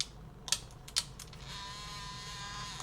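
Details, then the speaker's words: Sony WM-EX505 walkman mechanism during rewind and playback after reassembly: two sharp clicks, then a thin, high, gritty whirring buzz. Sounds like two gear wheels not aligned; the big white gear may have snapped out of place. "Well, so something good is happening, but there is a noise like two gear wheels aren't aligned perfectly."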